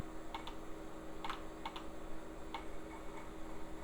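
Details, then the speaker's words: Old PC hard drive in an Asus A7M266 system booting: sharp irregular clicks, four in four seconds, over a steady low hum as the drive struggles to spin up; it freed itself after a moment. "and immediate anger and sounds like that hard drive is not doing too good but I'm going to give it a second sometimes those will unstick themselves"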